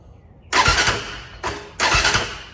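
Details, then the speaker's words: Can-Am DS450 ATV: three short, labored cranking bursts that never fire, turning over sluggishly; owner suspects a bad battery (voltage drops to ~12 V key-on, 13.8 V running) or bad connection. "now it's acting like the battery's dead again I think it's just a bad battery"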